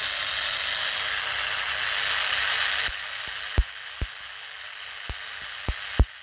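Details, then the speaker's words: High-voltage DC test rig with a gas discharge tube fitted as a safety spark gap: a hiss fades, then sharp irregular snaps every half second to a second as the high voltage arcs over the back of the gas tube. "it's actually arching over the back there from the gas tube i saw a big wave then"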